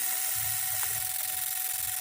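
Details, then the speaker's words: 2002 Chevy Monte Carlo no-start, key on, engine not running: steady rapid high-pitched buzz of injectors pulsing on and off nonstop, AC compressor also engaging; a bad ground is suspected, PCM drives the pulsing. "there we go there we go the injectors are going on off like crazy it seemed like a bad ground somewhere"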